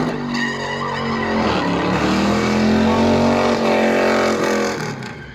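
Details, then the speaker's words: Car with a newly fitted nitrous kit, doing a burnout: over heavy tyre squeal, the rough, labouring engine note sags and then climbs again. The engine is laying over hard and bogging under load. "It was laying over hard. Yeah, that sounds terrible."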